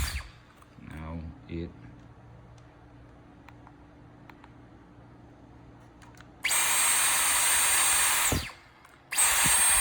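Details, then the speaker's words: Dyson V11 Torque cordless vacuum, after the trigger was disassembled and modified for an on/off trigger problem: quiet, then the motor spins up to a steady high whine, cuts out briefly and restarts evenly. The hum as the motor decouples is normal; normal running. "plenty of these uh these vacuums have a neodymium magnets in there so when they when the motor stops and sort of decouples it slows down their armature the spinning and you can hear like a hum or a bowing so that's just normal to these machines"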